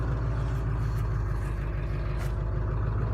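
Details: Ford 7.3 Powerstroke diesel, first cold start at 34°F with new injectors and glow plugs: starts right up, steady even low clatter at idle with no misses; idle bumps up while cold, owner questions new tune.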